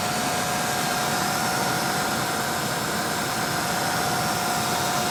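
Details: 1995 Ford Thunderbird Super Coupe with replacement 3.8 engine swapped in after a long-running bad rod bearing: steady, even idle with a faint constant whine and no knocking; engine sounds healthy.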